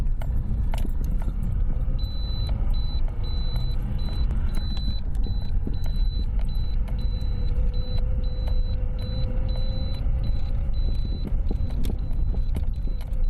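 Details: Lada Priora knocks over small bumps; the owner suspects the steering rack, which was never adjusted and would not tighten. Steady road rumble with keys rattling and dull knocks popping through over small bumps.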